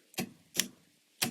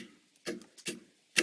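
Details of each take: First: Ambulance-to-RV homemade relay circuit board: three sharp dry uneven clicks with nothing running, relay chattering rather than holding; suspected bad relay or bad solder joint, unconfirmed. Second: Relay board for an ambulance-to-RV conversion, switches in the down position: crisp clean clicks about once a second in a quiet room; relays and fuses work normally, though the LEDs are wired with reversed polarity.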